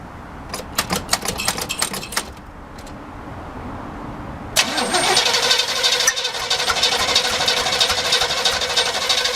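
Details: El Camino with fresh side-post battery, engine not seized, old bad-smelling gas, fuel just reaching carburetor filter: sharp clicks, then starter churns steadily without the engine ever catching; cranks but does not start.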